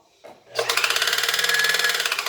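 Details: Singer Facilita Pro 4423 sewing machine, about 8 months old and under warranty, after thread and needle were changed and it was lubricated, and after a service return: a harsh, rapid clatter of about fifteen knocks a second; abnormally loud, cause unknown.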